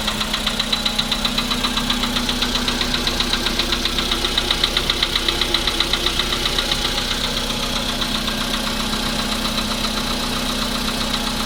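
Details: VW Polo sedan: sharp, even ticking about four per second over a steady idle; clear knock inside the engine.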